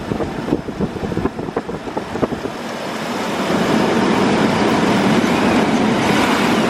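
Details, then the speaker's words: 1998 GMC Sonoma with a replacement 4.3 Vortec V6, fitted because the original had rod knock, on its second start attempt: steady, even idle after a few light taps, no knocking or smoke; normal idle. "yep no knocking no smoke it's not even smoking or nothing it's not knocking no it's not"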